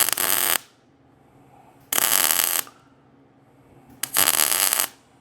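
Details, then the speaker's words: MIG welding an antique vise onto rusty, possibly oily steel tube: short bursts with harsh uneven crackle and popping, welder backfiring; suspected low shielding gas after the hose was knocked, rust, oil or wind in the tube. "I'm gonna check the gas too, because that is popping off pretty nasty. I must have hit our gas with the hose as I was moving and setting up."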